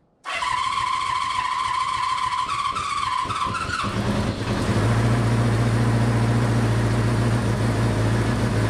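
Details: Honda CB500 four after sitting, suspected low compression/stuck rings, oil in cylinders, choke on: starter spins about four seconds, catches, then runs lumpy and uneven with a deep pulsing note; cause suspected.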